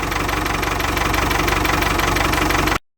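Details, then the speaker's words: Ford 6610 Force II tractor diesel, cold, after fuel filters refitted and new O-ring fitted to stop fuel leaking: steady even clatter, no stumbling or hunting; best from cold in ages, owner suspects a filter sat wrong; normal idle. "Strangely, that's the best this engine has sounded from cold in a long, long time. So I wonder if one of those filters hadn't been sitting right all along. It certainly feels that way. Now it's idling so much better."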